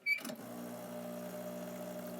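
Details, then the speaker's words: Rocket espresso machine, vibration-pump version compared with rotary pump: after a click, an even, steady buzzing pump hum, a little noisier than the rotary but not terrible; normal vibration pump hum. "a little a little noisier not not terrible but a little bit"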